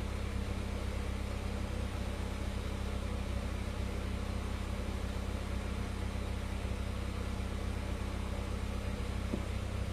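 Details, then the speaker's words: Honda Civic Ferio (1998 EG) after DIY power steering rack rebuild for leaks, steering fluid refilled, engine idling while wheel worked to check for leaks: steady even petrol idle, no whine or groan; normal power steering operation. "Okey, kita dah isi minyak steering. Kita start, kita tengok ada leaking ke tak. Main steering."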